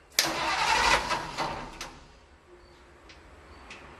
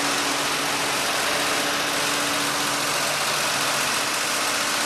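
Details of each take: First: 1948 Ford F-5 truck, cold start after sitting unrun for over a year: the starter spins about 1.5 seconds without catching, then silence; no start, and the owner suspects the fuel pump isn't pumping because it didn't kick on at the switch. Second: 1948 Ford F-5 truck, cold start after sitting unrun for over a year, on choke with the throttle pumped by hand: the engine holds a steady, even idle with a low hum and no misses; running fine, a good start.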